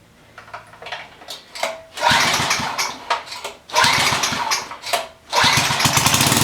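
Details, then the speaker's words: Coleman Powermate pressure washer small engine after diagnosis and repair: a few choppy pull-start bursts, then it catches and settles into a steady, even buzzing run without misses; running normally before the hose is hooked up. "all right she's a runner we're gonna hook up a hose to it and see if it works"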